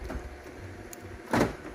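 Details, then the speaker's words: 2007–2012 Dodge Caliber door, reassembled after the power window repair; the battery had gone dead while it sat. One quick, crisp motorized thunk; the lock actuator and the inside and outside linkage work normally. "Okay, the lock works. Can't get in it. Does open from that side. Opens from the outside and inside. Yeah. All the linkage and everything functions right."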